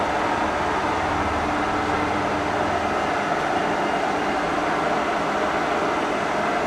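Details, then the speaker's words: K&T milling machine spindle building up speed after shifting to 98 rpm: even, steady mechanical whir with gentle gear mesh and no knocking, grinding or rising whine. Running normally. "build it up with all you see it's working good"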